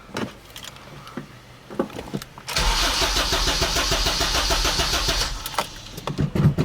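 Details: Acura RSX with a Sirimoto flex fuel kit newly installed, after changing injector size in the map: about three seconds of even starter cranking that never fires. No start; the bought injectors were bad.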